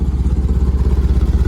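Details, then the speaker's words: VW bus with Pertronix ignition, after reinstalling the distributor, warm after a 6-mile round trip: an even low putter settling smoothly to a good idle with no misses. Normal idle. "Okay, just got back from a quick run up to the store, just about 6 miles round trip. It sounds like it's dropping down to a really good idle."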